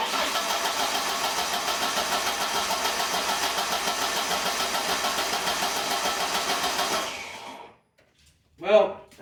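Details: 1996 Ford Ranger after fuel pump replacement, pump heard priming but very little, old fuel in tank: starter cranks with steady even chug about seven seconds without catching; owner suspects not enough gas: cranks but won't start.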